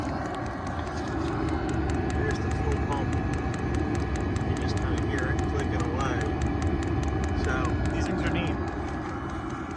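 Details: Forced-air space heater rated 27,000 BTU / 8 kW, sounding like a small jet engine: fast, even fuel pump ticking over the blower roar with no gaps. Normal fuel metering.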